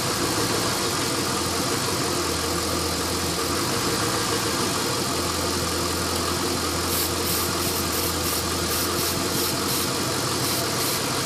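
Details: LS1 V8 after new intake manifold, headers and EGR/AIR delete: low, uneven loping idle rumble with hissy background; rough idle from an open fitting left uncapped after AIR/EGR removal, not ECU tune; fixed with custom hoses.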